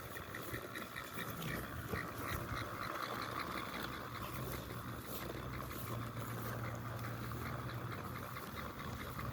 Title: Eeve makes grinding noise, doesn't cut grass